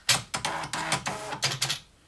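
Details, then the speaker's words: Amstrad DMP-2000 dot matrix printer, paper loaded on tractor feed, first power-on: short buzzing whirs and clicks over about two seconds, then quiet; print head homes cleanly, normal power-on initialisation. "So we're going to turn it on first, see that it actually does turn on."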